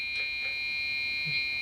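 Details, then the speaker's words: Dell OptiPlex GX520 desktop at power-on: a shrill, unbroken high-pitched beep over a quiet room; POST error because the RAM stick was not pushed fully back into its slot. "i don't know what this noise is it's not happy about something well let's shut it off it's complaining oh i remember what it was now i never pushed the ram back in all the way"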